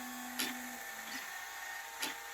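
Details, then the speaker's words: Traxxas X-Maxx RC truck after a steering upgrade with Traxxas parts, servo end points not yet set: a thin buzzing whine holds at full lock between short gear chatters as the servo strains, though it steers. "you can hear it struggling a little bit there at the ends but she steers"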